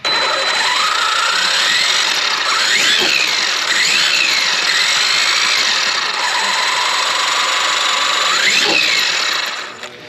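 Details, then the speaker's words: Traxxas X-Maxx RC truck after gear replacement, powered up; high whine rising and falling with each throttle blip, loud over the motor; gears just noisy, no chipped teeth. "that's it still almost as noisy and the gears aren't chipped and nothing is wrong with them this is just a noisy"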